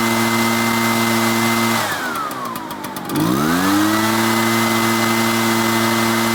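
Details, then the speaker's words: Echo backpack blower (small two-stroke) after fitting an aftermarket replacement carburetor and flushing the old fuel, started on choke: steady high buzz, brief sag, then picks straight back up and runs clean; normal running. "so we went we got the Amazon carburetor we flushed out the fuel um we put it all in and it seems to be working perfectly fine now"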